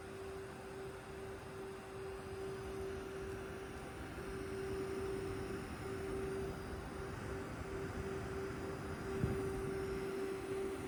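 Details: Steady thin whistle around 400 Hz over a soft fan whir from a GPU; source unclear, possibly the left fan, though it sounds like coil whine; high-pitched squeal.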